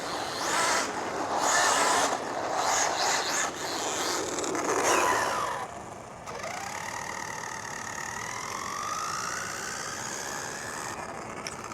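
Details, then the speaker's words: Rlaarlo Omni Terminator 1/10 RC monster truck, Hobbywing 10BL120 G2 ESC on max punch: rough gritty bursts on throttle and thin whine on coasting; stripped pinion gear. "Can you hear that? Yeah, something's stripped. I might as well just give it the beans. Fully expecting this to give up any second now. That noise is getting worse."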